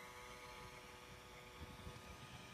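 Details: Surface Pro 3 i5 256GB replacement unit, worse than the returned one: fan makes a loud steady raspy buzz with fixed hum tones instead of the normal whoosh; persists after all Windows updates, suspected fan defect.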